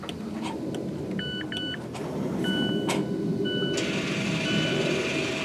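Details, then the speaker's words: 2017 Mazda 3 electric parking brake after rear pad replacement, exiting service mode: short electric motor whirs and chime beeps over the quietly running car as the caliper motors readjust normally. "you should be able to hear the motors turning and now it's adjusted back to where it needs to be and it's out of service mode"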